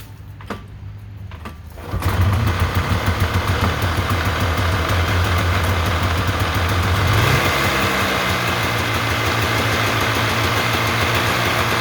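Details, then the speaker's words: 1993 Polaris Trail Boss 350 two-stroke, sat 10+ years, first run on a new plug and premixed gas with the choke on. Carb untouched, oil pump not yet set, no coolant. It catches after two seconds into a fast, buzzy beat. It runs. "Got to fix this, but it runs."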